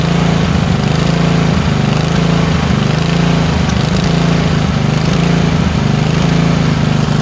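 Low engine drone that keeps dipping and recovering, roughly once a second, with an uneven beat: the engine is surging and misfiring.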